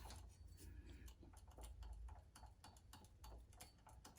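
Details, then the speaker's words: 2005–2009 Subaru Legacy power steering pump, belt removed, pulley turned slowly by hand: soft uneven clicks about three to four a second inside the pump; cause suspected, possibly broken fin; new pump silent. "Something's going on in there, like clicking. Could be a lot of things. Fin broken or something."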